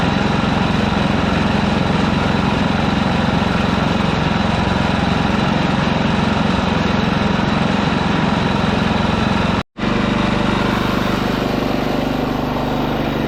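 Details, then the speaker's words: Ditch Witch C99 trencher with a Wisconsin engine, freshly filled with 30-weight oil and started: steady, even thumping single-cylinder run at a constant low pitch, no knocks or misses. Normal running. "This old ditch witch runs great. I'm happy the way it runs."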